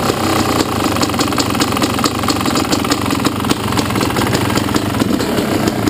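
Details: Yamaha YZ250 two-stroke at idle: sharp, regular light ticks over a lumpy idle; owner heard it could be the power valve or a worn top end needing replacement; cause unconfirmed.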